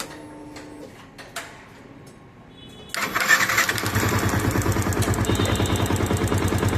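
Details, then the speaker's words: Yamaha FZS FI motorcycle at idle: engine catches and settles into quick regular tick-tick from engine area, others blamed valves or fuel injector; traced to the automatic choke (throttle body). "ইঞ্জিনের এখান থেকে আওয়াজটা আসতেছে tick tick tick tick tick tick করে।"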